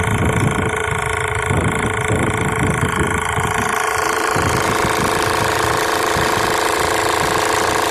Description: I heard this awful loud noise coming from the engine of my 2008 1.6hdi diesel Peugeot 308.